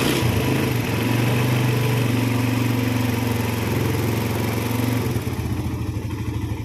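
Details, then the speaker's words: Suzuki Satria FU with a rough-sounding engine, after replacing the worn cam timing chain and converting the tensioner to manual adjustment, oil refilled and circulated: steady, even low idle with no ticking or top-end rattle, sounding smooth before tensioner adjustment. "So now let's pay attention, so we can listen to the sound, then we'll try turning it. Is there a change in the sound or not? This is quite smooth for the sound."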